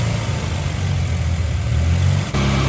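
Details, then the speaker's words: 1981 Dodge Challenger (rebadged Mitsubishi Galant Lambda), four-cylinder, carb dribbling fuel from the mains, fuel pressure suspected: low uneven idle that wavers and stumbles, acting like a vacuum leak though none found; rough idle, later drops a cylinder. "and then it just does that which makes no sense everything about this says giant vacuum leak except that there isn't one"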